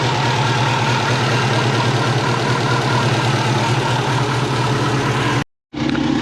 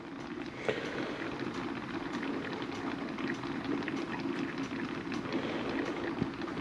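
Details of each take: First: Subaru Forester turbo after auto-to-6-speed manual swap, exhaust resealed to stop boost leaks, tune not yet adjusted, 40° hot day: steady, even idle with smooth low drone, no puffing or ticking; exhaust sounds sealed; normal idle. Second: Turbo Subaru Forester on its first drive after an auto-to-6-speed-manual swap. Cooling system was filled with plain water, no coolant, and not bled while running; something binding also suspected. Steady bubbling, crackling simmer: coolant boiling over after overheating.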